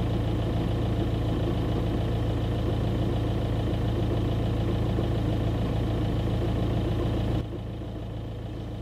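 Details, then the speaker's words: 2009 Audi A3 Sportback 1.9 TDI, 160,000+ miles, recorded inside cabin at neutral idle, foot off clutch: coarse regular rattle over diesel idle, stops with clutch pressed; worn dual mass flywheel, rattle gone after flywheel and clutch replacement. "so just to summarize in case you couldn't hear it that well it's a hideous rattling noise"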